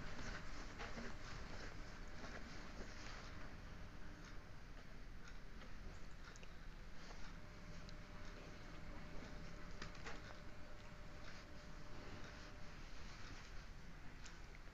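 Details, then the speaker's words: Lux WH 263i-1 washing machine, wash cycle test, drum bearing replaced for noisy spin: steady low churning and water swish as drum turns, no rumble, grind or knock; normal wash drum rotation. "mesin sudah melakukan proses perputaran untuk melakukan proses pencucian terlihat mesin berputar"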